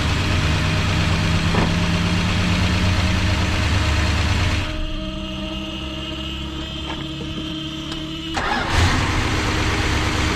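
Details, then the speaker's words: 1973 Dodge Dart Sport V8, cold, just reassembled after head work for a misfire, lower exhaust disconnected: loud open idle with light quick lifter ticking while lifters pump back up; miss seems gone, running better. "it sounds like the lifters do have some noise but um i do think it is running better"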